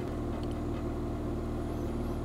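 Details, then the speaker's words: Scrap-rescue petrol car after a new battery and priming the electric fuel pump: engine starts and idles steadily with an even low hum, no knocks; left to warm up, owner cautiously pleased. "Alors, on va pas crier victoire trop tôt, on va laisser chauffer. Mais pour l'instant, je suis très content."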